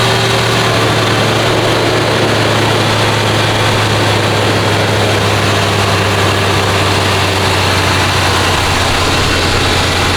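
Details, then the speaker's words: Lincoln Town Car, OBD1, just after idle control valve replacement; it had idled high at about 2000 rpm when hot. Now a smooth, even low hum at about 800 rpm with no hunting or surging; normal idle. "So see that was way too high before was like a two grand probably like at 800."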